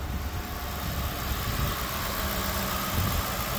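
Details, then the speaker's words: 2010 Ford Crown Victoria Police Interceptor, reported to overheat after 20 minutes (possibly thermostat): deep, even idle with a steady rumble and no knocks or ticks, revs up well; engine sounds smooth and healthy. "idling nice and smooth and it ribs up really nice"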